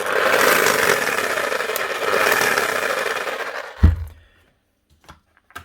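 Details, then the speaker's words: Bosch GSH 5 CE demolition hammer running: a rough scraping, rattling roar under the hammering, then it stops. A collapsed bearing caused the noise; the gear teeth were undamaged. "normally when they make that sound it's never good news normally it's either a worn out crank in Armature gear and they're just eating each other or there a couple of bad bearings in it and the Armature slapping around inside the actual motor housing"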